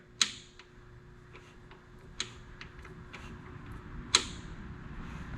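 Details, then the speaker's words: Jeep 4.0 core engine, stripped, likely overheated with low compression, turned slowly by hand: a few distinct sharp clicks at irregular intervals in a quiet room; source unknown, timing chain suspected. "There's a pretty distinct click. Now there could be a timing chain."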